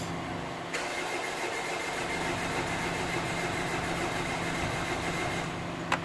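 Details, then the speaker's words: Mitsubishi Pajero diesel after fixing a fuel tank fault that left no fuel reaching the engine, fuel primed, flat battery boosted: cranks, catches quickly and settles into a steady even clatter; starting normally. "a bit of heat there we go you can see that now you can see it sounds good let's take it for a test drive and see what happens but yeah sounds good"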